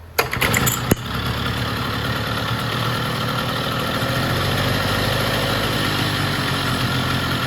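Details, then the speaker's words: Vintage Jacobsen two-stroke reel greens mower after gear oil check and greasing all fittings, cold weather; brief starter clatter, then catches and settles into steady even run, no misses or knocks; sounds healthy. "Runs pretty good. So I'm going to check them, see how sharp that reel is."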